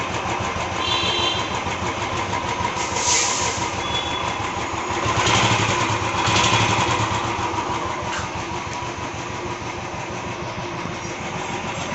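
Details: Royal Enfield UCE Electra single-cylinder engine idling: loose uneven mechanical clatter over exhaust beat; very low oil pressure observed, teardown found play between piston and block. Piston slap from excessive piston-to-bore clearance.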